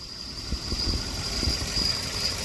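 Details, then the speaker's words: 2017 Subaru Crosstrek idling with a worn-out clutch release (throw-out) bearing: a thin high whine and low rumble change pitch as the clutch pedal is pulsed, confirming the release bearing. The car barely shifts; clutch, pressure plate, release and pilot bearings are to be replaced. "so anytime you can change the pitch of the bearing substantially with your foot you know it's that release bearing"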